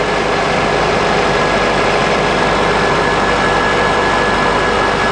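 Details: 2003 Honda Accord 2.4 at warm idle after alternator replacement for a whining noise and undercharging (11.5–11.9 V); steady, even idle with a faint constant whine, no knocks or grinding; alternator no longer overheating.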